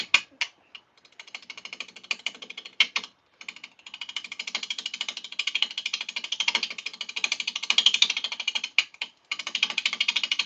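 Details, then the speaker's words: Wet, freshly felled wood being bowl-turned on a lathe: fast, rattly ticking chatter as the gouge bounces over the rough bowl bottom, stopping briefly when the cut lifts off; the noise persists until the bottom is smoothed. "In case anybody's wondering why that sounds so bad. You can see how rough this bottom is right now. And we got to get that smooth before that rough noise is going to stop."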